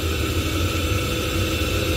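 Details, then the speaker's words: Ideal Logic ES30 combi boiler with lukewarm hot water: as tap flow is turned down the fan speed climbs back to maximum, steady low roar with no modulation; gas rate check planned. "but again you can hear the fan spe going back up so it's going back up to maximum so no matter what I do if I F down the flow rate the fan speed go to maximum"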